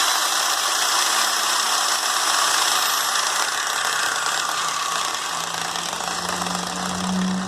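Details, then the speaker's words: Bosch Super Hobby drill on 127 V in impact/hammer mode after preventive maintenance (kerosene cleaning, commutator sanded with 1200 grit, bushings lubricated); fast, even hammering rattle over high motor whine, working normally. "Vamos ver agora a função de impacto, mudado aqui para a função... Vou trazer a câmera mais para cá. Aqui na função do impacto."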